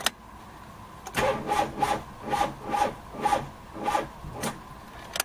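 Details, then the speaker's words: 2002 Mitsubishi Lancer with starting trouble; the battery is fine, and the starter is over-amping and probably seizing. Worse when hot; cranked with the distributor disconnected: slow, heavy rasping turnover at about two strokes a second that never speeds up; weak starter. "there it starts when it's hot it's worse I've disconnected the distributor so you can hear what the starter motor actually sounds"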